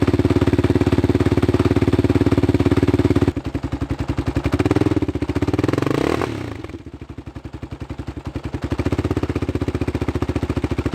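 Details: Yamaha Raptor 660 quad with engine problems, slightly smoky: uneven, lumpy single-cylinder beat that stumbles and sags as revs rise and fall; a timing issue is suspected.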